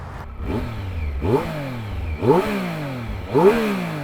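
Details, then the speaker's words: Triumph Daytona 955i (fuel-injected) on its original stock exhaust, recorded for reference before a slip-on is fitted: three quick throttle blips, each climbing sharply and falling away cleanly, with a deep, even note and no rattle. Normal exhaust note. "uh for reference this is what the old exhaust sounded"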